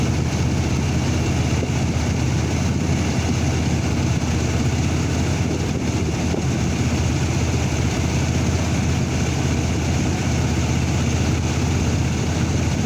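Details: 2002 Chevrolet S10 pickup petrol engine idling with a low uneven rumble and irregular stumbles: random misfire, code P0300, fault still being searched.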